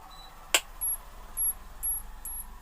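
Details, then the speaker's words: LG CRT TV that won't power on, indicator not lighting: a sharp tick followed by faint high chirps about twice a second from the power supply. Ticking with no power-on; cause unconfirmed. "यह देखिए दोस्तों indicator नहीं जा रहा है लेकिन आवाज सुन सकते हो कि चिक टाइप आवाज निकालता है"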